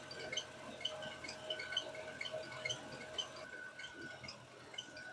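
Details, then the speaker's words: Mercedes M273 V8 with a new serpentine belt, idling: quick high chirps about twice a second from the front belt area; the belt or a pulley bearing is suspected, and a water-on-the-belt test is planned to tell them apart. "is engine is idling there's a little bit of a chirping squeaking noise coming from somewhere up in this area"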